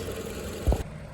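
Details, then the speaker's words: 2012 Toyota RAV4 four-cylinder after alternator replacement: soft, even low idle hum with no whirring or whine; the earlier whirring noise is gone and the engine sounds healthy. "My whirring noise is gone, and I'm gonna go for a test drive and make sure everything is good."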